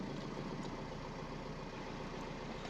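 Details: Car idling just after start-up following new alternator and starter motor fit, some pipes and sensors disconnected so warning lights showing: steady even low smooth rumble, no knocks or misses; running normally.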